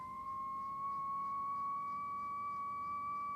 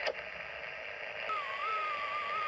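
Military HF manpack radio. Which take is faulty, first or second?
second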